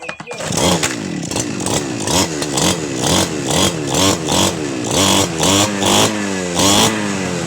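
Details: Two-stroke 411 brush cutter that sat unused for about a year and would not start, running after carburetor cleaning, spark plug check and refuelling: a crisp note blips up and down and returns cleanly to idle. Normal running after repair.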